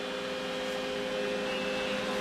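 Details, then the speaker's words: Cooling fan for a Mr Lee's 2x12 Xforce amplifier, held against the cabinet vent opening; slight bearing play noted: steady air rush with droning hum and thin whistle; the opening's restriction creates the fan noise. "If I set the fan away from the opening just a little bit, which will give it a false draw, because the way the fan's operating, it's pulling itself."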